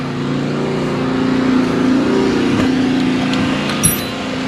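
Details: Nissan Skyline R33 GTST RB25DET after replacing ignition coils to fix a slight misfire when cold: steady, even idle with a smooth low hum, no stumble or uneven beat; engine sounds healthy.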